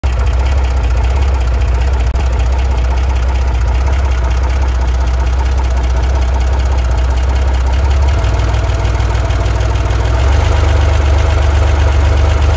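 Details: Chevrolet Corvair at idle: dull knock about four per second evenly repeating over the exhaust drone; owner suspects rod knock, not confirmed.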